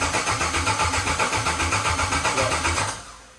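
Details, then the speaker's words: 1984 Pontiac wagon with a 2011 Camaro SS LS3 swap and 6-speed manual, first start attempt after new relay/fuse box wiring and tune changes to throttle position: steady rhythmic cranking about four beats a second, no firing, starter stops; cranks but won't start. "That didn't do anything different. Darn it."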